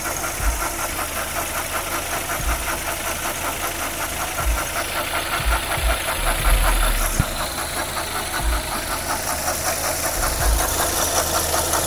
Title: Knocking sound coming from engine